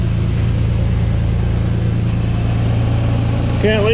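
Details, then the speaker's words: 1985 Chevy C10 just fired up with new custom exhaust, camera by the tailpipe, no coolant circulating: steady deep even idle, no puffing or ticking from joints, a little louder than wanted. Normal idle, no exhaust leaks. "you can kind of hear it back there but a little louder than I want it to be but it'll be okay"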